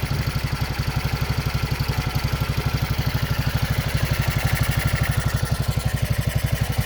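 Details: Racer 164FML 200cc pushrod single-cylinder motorcycle engine with balance shaft, first start after repair: steady, even exhaust pulses about four per second with no knocks or rattles; idling smoothly and healthy.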